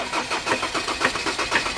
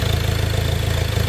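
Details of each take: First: Ford Ranger diesel that won't start: harsh, uneven knocking bursts several times a second as it cranks and tries to catch; high-pressure pump tested strong, injector knock from water-contaminated injectors. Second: Ford Ranger diesel that was knocking and would not start, with water found in the injectors, after repair and bleeding: steady low diesel clatter with an even beat and slight unevenness, idling fine while still bleeding air from the fuel.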